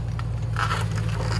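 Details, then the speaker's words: Slammed Toyota Celsior lowered on its guts: low hum with short rough scraping bursts as the front tire rubs the fender at full steering lock, worse on one side. The front was later raised 1/4 inch because it could barely turn. "Oh. Yeah, we need to lift the front. Why? You're on your fender right now."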